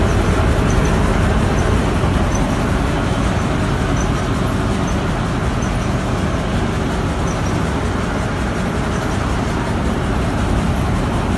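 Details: Petkus K527 seed cleaner after a major overhaul, running normally: a steady rumble and rattle of the sieves and drive at constant speed, with no knocks or grinding.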